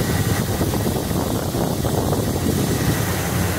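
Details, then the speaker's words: GMC Jimmy with a 4.3 Vortec engine, brought in for vibration, high fuel use and fuel smell, running after incorrect spark plugs were found, with no codes and oxygen sensors working well: a warm, smooth, even low idle with no misses, knocks or ticks; normal idle. "motor se escucha pero serenito ser en idóneo"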